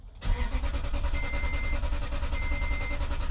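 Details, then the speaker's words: Toyota Tundra, towed in after sitting a long time: after the codes are cleared, the starter turns the engine with steady cranking pulses but it never catches, so it cranks with no start. All the coil codes set; a fuse is the usual suspect. "Okay, still nothing. It's cranking out on its own right now."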